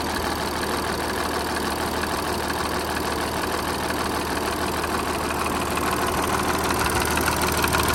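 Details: Audi A7, left side of engine: busy, rattly clatter at idle with a faint tick about twice a second. Owner asks whether it is timing chain noise or something else.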